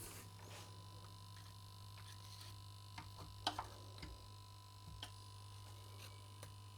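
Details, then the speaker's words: Late-1960s East German Vermona MV3 guitar tube amp on first power-up through dim-bulb limiter, heaters lit: quiet constant low buzz with faint whine and small ticks; source not yet found. "Something is buzzing over here."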